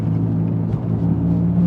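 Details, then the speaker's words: Cheap Suzuki Ignis Sport on the road: a steady low droning howl over road noise, growing louder and holding pitch as the car rolls on; worn wheel bearings, likely more than one, howling badly. "well as you can probably hear the wheel bearing is absolutely howling or wheel bearings I guess we're probably hearing wheel bearings in stereo at this point"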